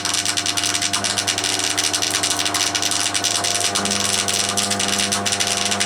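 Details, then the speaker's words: Crompton Parkinson 180 W single-phase induction motor, bought from a scrapyard, bearings just oiled: mains hum with a fast uneven rattle from one end; shaky running noise, possibly from a loose pulley. "it does sound a bit shaky at that end i wonder if that's something to do with that"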